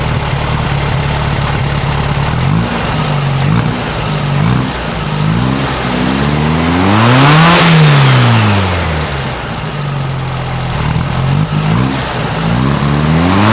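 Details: 1956 VW Beetle air-cooled flat-four with Solex carburetor after valves readjusted to 0.006in: even sewing-machine clatter rising and falling cleanly with revs, much quieter, no rattle from either side.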